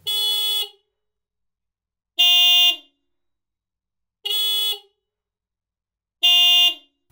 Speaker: When sounded together, they produce a minor chord which is perhaps more noticeable across a wider variety of situations.